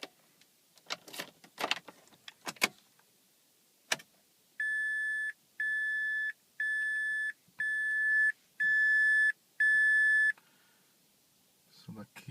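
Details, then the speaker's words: 2006 Mazda 3 hatchback 2.3L after engine and transmission mount replacement: key rattles, then six steady high beeps about one per second with key light flashing as if wrong key, no starter engagement or cranking; battery fine, cause unknown. "is flashing so this is like a sign that um that I have the wrong key you know but I have the right key"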